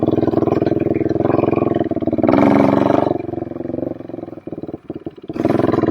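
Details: 2007 Suzuki LTR450 quad that won't take throttle and backfires, possibly loaded up from cranking: throttle blips rise briefly then sag and stumble unevenly; fuel starvation, blocked fuel filter suspected.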